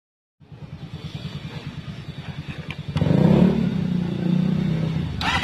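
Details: Kawasaki ZRX400 after carburetor cleaning: crisp, even idle pulses about four a second, then clean blips that rise and settle without stumbling; idles and revs properly.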